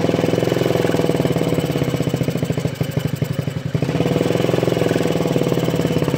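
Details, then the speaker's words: Honda Ruckus with a GET carburetor and the airbox deleted; it only starts with gas poured into the carburetor; fast, choppy single-cylinder running that sags and nearly dies, then recovers; owner unsure whether the mixture screw or intake is at fault; runs only when primed. "so the only way I could get this thing started is if I plug the carburetor do a little bit of gas back in it to start it down"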